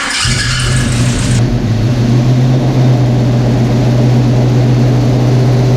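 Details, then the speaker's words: Rebuilt V8 in an '83 GMC pickup at first start after reassembly: fires quickly and settles into a deep, steady rumble with no knocking. Healthy running, with an exhaust leak and slight smoke from assembly lube. "it sounds pretty good he got an exhaust L but he's alive he's alive no leaks major underneath it"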